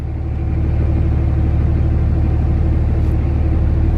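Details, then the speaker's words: Dodge Ram 2500 Cummins diesel idling after the hydroboost was replaced: a deep, steady rumble with no hissing while the wheel is turned. Steering feels much smoother, like the power steering is back. "okay actually the steering wheel feels a lot smoother no cat oh wow just like I got power-steering back or something that's crazy so no hair sing at all"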